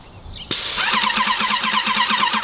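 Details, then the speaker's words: Airless paint sprayer with a 623 tip worn and blown out after several hundred gallons: a sudden, very loud, harsh spray hiss with a fast pulsing flutter, throwing a ton of paint with poor atomization. "I don't know if you could hear the difference, but the hissing was extremely, extremely loud, and it just threw on a ton of paint right there."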